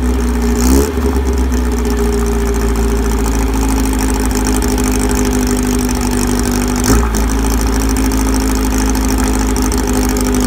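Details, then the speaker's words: VW air-cooled 1835 flat-four with new 44 carbs and K&N filters, 120 cam, stock rockers, straight-cut gears and Bugpack stinger exhaust: steady even idle with one brief throttle blip, running smooth and healthy. "all right so that's what the motor sounds like with the new cars on"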